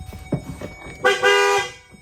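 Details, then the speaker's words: 2008 Chevy Duramax truck after fitting different horns in a new spot on a new bracket, newly wired: a short tap then a loud, clear two-tone blare that stops cleanly; the horn now sounds strong and normal. "Yeah, it sounds better."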